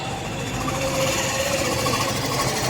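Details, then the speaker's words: Hero BS6 Super Splendor 125cc after repair (lifter changed, double packing, tappet setting corrected): smooth, even single-cylinder idle with no top-end tapping; the earlier engine noise is gone. "इस तरीके से bike का sound bike का sound पहले था उसी तरीके से इसका बाइक का साउंड हो चुका है"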